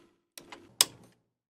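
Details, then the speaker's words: Nearly 50-year-old Harman Kardon CAD-4 cassette deck, after its backwards power-supply capacitor was corrected: a couple of light clicks, then a sharper secondary thump as it powers up; this is a normal turn-on bump. "And there's the secondary bump."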